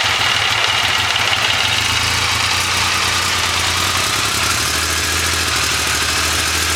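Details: Triumph Legend twin, first start after restoration from non-running: steady, even beat settling to a smooth idle with no knocks or misses; normal idle.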